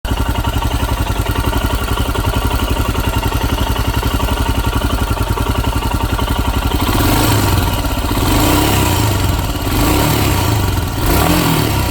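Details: 2019 Royal Enfield Himalayan BS4 EFI ABS with under 190 miles: a steady single-cylinder beat, then a faint, muted rattle under acceleration around 4,000 rpm. Owner unsure whether it is normal; cause not determined.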